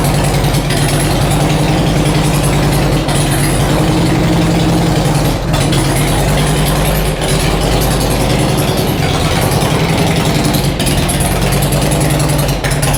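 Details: Harley Road King V-twin with new cams, not yet tuned for them, idling in garage after first start: loud loping beat with no top-end ticking; valvetrain quiet and healthy.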